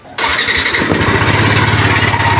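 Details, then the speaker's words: Yamaha NMAX at over 79,000 km, replayed before-repair recording: rough, gravelly grinding under the idle beat, steady with the engine; crankshaft bearing failure, mechanic says possibly from oil running low. "ang tunog niya. Parang may ginigiling sa loob."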